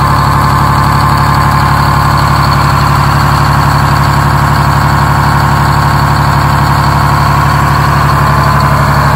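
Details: Detroit Diesel 6-71 in a 4104 bus, started with a battery charger after a cold night and a weak battery: settles into a steady, even idle clatter, about three firing pulses a second, with no misses or knocks.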